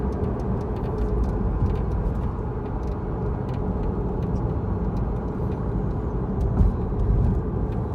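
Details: Tesla Model 3 driving with light, irregular rattling ticks from the left rear suspension over steady low road rumble.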